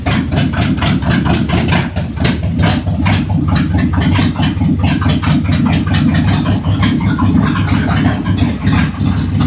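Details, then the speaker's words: Jeep CJ7 258 inline-six, fired up after fuel added: even, steady low idle with regular firing pulses, no knocks or misses, about 50 oil pressure at idle; normal idle. "Almost 50. Not bad. Not bad. 50 is pretty good for idling 258."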